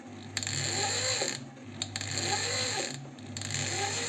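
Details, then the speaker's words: Janome 509 sewing machine, about 15 years old, squeaks and won't sew; the mechanism is turned slowly by hand after disassembly, giving a dry scraping that rises and fades with each turn; the cause is unclear. "скрежет непонятный Я вроде его тримения уже туда подводил сначала показалось что где-то здесь скребет за край цепляет"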